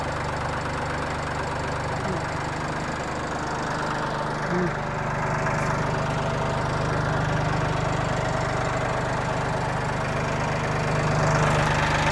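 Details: 2021 Massey Ferguson 1835M diesel tractor at 50 hours, start after oil change (5 quarts, new filter), checking for filter leaks: starts and settles into an even, steady clatter at idle, no misses or odd knocks; runs healthy.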